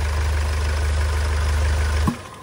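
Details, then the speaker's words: Hyundai Starex GRX diesel that would not start (code P1183, fuel regulator and fuel rail sensor), test-run with intercooler removed: smooth steady low idle for two seconds, then a clean shutdown. "Ayan napaandar na nga natin mga boss."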